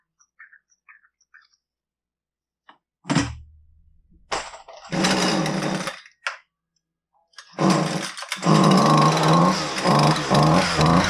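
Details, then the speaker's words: Husqvarna 128L string trimmer, won't start complaint, not fixable by carb adjustment; pull-start bursts then rough burbling surging run, flooding and running rich with fuel from muffler; burnt hole suspected. "I actually dried everything uh trying to get the the fuel out and it just keeps flooding"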